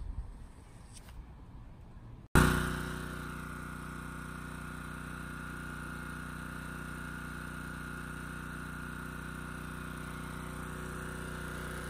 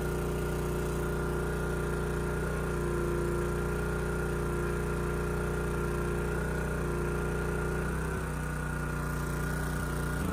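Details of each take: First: Honda EG2200X generator, early-to-mid 1990s, previously running rich at no load despite new carburetor: starts at once, smooth constant hum, no misses or hunting. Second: Honda EG2200X generator, early-to-mid 1990s, at first outdoor start with no load: steady mid-pitch drone with an uneven, wavering beat; starts easily, choke off, running rich and not smooth, and choking it made no difference. Rough running traced to a wide-gapped spark plug.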